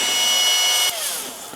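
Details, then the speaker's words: Makita XMU04 cordless grass shear motor wired straight to the 18 V battery through the switch, about 18.7 V: high steady whine, winds down smoothly when switched off; runs normally. "[Applause] it works like a hot damn"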